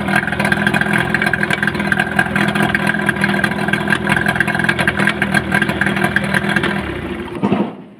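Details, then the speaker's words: Yamaha 15 hp outboard that the owner reports sounds rough. In forward gear a light, quick, even ticking rides over the steady running. "itu dia mesinnya ada bunyi tik tik tik ketika kita masukkan gigi maju dia kentara sekali bunyi tik-tik"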